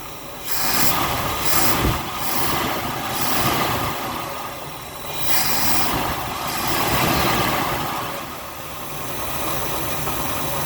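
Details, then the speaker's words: Buick Skylark started off a fuel can after carburetor rebuild, tank holding 30-year-old gas and leaking lines, oil light issue fixed; engine quiets down into a steady, even purring idle with no knocks or misses; normal idle. "sounds good doesn't it all right quieting down it's actually idling"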